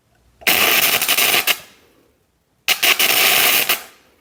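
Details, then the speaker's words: Homemade gasless MIG welder powered by two 7 Ah motorcycle batteries in series (about 26 V): two sharp sizzling crackle bursts of about a second each with a few pops, laying a short bead; normal welding. "Agora, vou ligar aqui de novo. Agora eu vou fazer a soldinha, ó."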